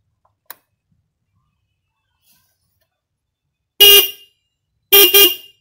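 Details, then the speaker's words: Single-terminal car horn (on a Grand) wired through a relay gives two loud, bright blasts about a second apart, each cutting off cleanly; output is strong and louder than without the relay. "suaranya ini klakson kenceng banget ya"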